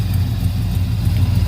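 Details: 1971 Chevrolet El Camino on a will-it-run start. After an earlier miss cleared up, a deep, even V8 idle burble with no misfire or surge; it sounds healthy. Water is coming from the exhaust and it smells of fuel. The owner suspects the carburetor needs dialing in and a float bowl may be dripping.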